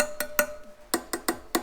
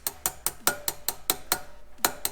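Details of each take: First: Rear wheel spokes on a 2002 Honda CRF450R dirt bike, tapped by hand: sharp, clean, bright pings from a properly tensioned spoke, compared against loose ones on the same wheel. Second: Rear wheel spokes on a 2002 Honda CRF450R dirt bike plucked by hand: some ring bright, while a really loose spoke that moves by hand gives a dead, flat sound.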